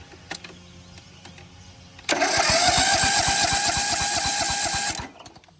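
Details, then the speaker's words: Cub Cadet lawn mower engine first start after motor work and rust sanding; starts at once and runs steady with quick, even firing about three seconds. Owner sees some smoke, suspects debris burning off after long sitting. Normal start and run. "We'll check out Oh, there it is. It does run."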